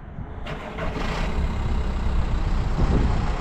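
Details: Used car with a diesel engine, bought for viewers and checked before purchase: it catches quickly and settles into a steady, even run with no knocks or rattles; normal running.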